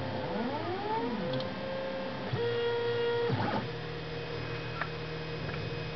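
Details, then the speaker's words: Stepper motors on LinuxCNC running on a BeagleBone, under load: tones sweep up and hold, then cut off with a click and restart at another pitch, stalling mid-move whenever the back plot is clicked; cause unknown, possibly the underpowered BeagleBone. "can hear the motors you can hear them stutter when i do the back plot so"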